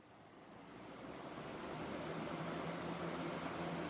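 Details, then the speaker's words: 1993-94 Galaxy box fan with a 3-speed metal Marco motor rated 2.2 A, two-piece motor mount, started on high: spins up into a smooth, even rush of air with no ticking or rattle; powerful and well balanced. "nice and Powerful well balanced too older fans 1.05 for our amp drawing low"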